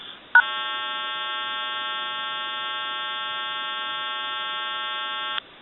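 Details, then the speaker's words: Bell rotary payphone after repair, calling a time-and-temperature number whose own equipment has issues: steady flat buzzy hum for about five seconds between recording segments; hum comes from the remote service equipment, not the phone. "You'll hear the recording, and then there might be a hum in there, and then the recording will continue."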